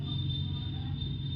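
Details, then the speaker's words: Realme C35 phone with ringer/loudspeaker not working, heating up: with volume full, only a faint steady low hum with a thin high whistle, like a grounded home-theatre speaker, no real sound output; loudspeaker circuit fault, cause not confirmed. "Friends इसमें जो है हमारा, आप volume यहाँ पे कुछ भी नहीं दिख रहा है, बट ये जो है आप जब यहाँ पे कान लगाएंगे तो आपको इस तरह की कोई आवाज़ हल्की हल्की, जैसे हमारा बहुत वो जो होम थिएटर का स्पीकर होता है वो हम ग्राउंड पे टच कर देते हैं तो घी घी की आवाज़ आती है।"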